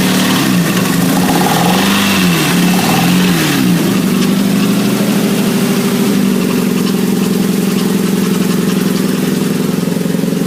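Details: 1997 Nissan Altima with low power and stalling, distributor cap and spark plugs already replaced: rough wavering idle dipping and surging with revs, loose rattle underneath; cooling fans apparently not working properly, overheating tore the rubber gasket seal, causing stalling.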